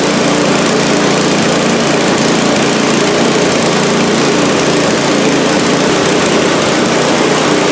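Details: Small engine on a cheap scrap-heap snowblower, just after cleaning a carburetor whose fuel bowl held sludge like used motor oil. Steady, even drone at a constant governed speed, no misses or surging; normal running.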